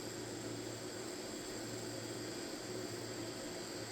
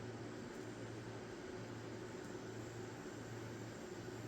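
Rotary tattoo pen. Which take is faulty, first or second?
first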